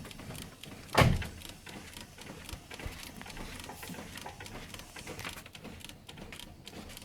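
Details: Nissan Primera P11, knock over bumps at low speed while body rocked: one sharp dull clunk then quiet; stabilizer link had unscrewed after a leaking steering rack soaked it in oil, cleaned and tightened, fixed.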